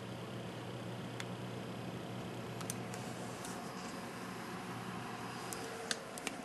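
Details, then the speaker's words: Hi-Phin AMD X2 desktop PC (Gigabyte board, AM2 dual core, 250GB SATA drive) under full load, camera next to it: only soft steady fan hum, rear fan loudest, no hard drive clicking; quiet, normal running. "as you can hear even the full load you can't hear the hard drives clicking and working you can't really hear that on the only thing you really hear is the fan at the top and the fan in the front"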